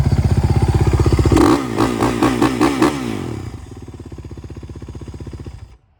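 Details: 2009 Kawasaki KX450F single with performance exhaust, after a stripped oil drain plug repair: crisp, even thump with clean throttle blips, then a steady idle before shutoff. The engine runs healthy.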